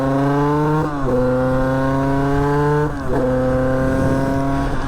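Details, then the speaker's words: 50cc two-stroke motorbike with about a 21 carburettor, main jet checked and judged not blocked, on a road test run after being returned to running: crisp buzz climbs cleanly through the revs, dipping briefly at each shift and pulling again; revs freely, normal. "elle a l'air de bien prendre ses tours hein. Franchement ça a l'air top hein."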